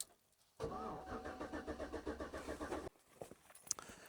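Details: 2012 GMC Yukon that sat a year, after swapping in the fog lamp fuse: starter cranks at an even, steady beat for about two seconds but never catches; still no fuel delivery, and owner suspects fuse box corrosion.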